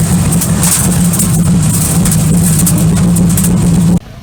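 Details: Twin-turbo LS car with the wheels spinning on a jack: steady, low, wavering hum that cuts off abruptly. A whining, bearing-like rear-end noise; a hanging-up brake is suspected but not confirmed.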